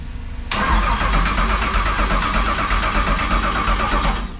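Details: El Camino, Texas Speed 416ci LS3, TH400, Holley EFI, after cycling ignition: starter turns engine at even rhythm about three and a half seconds, never fires; ground then added as suspected fix; crank no start.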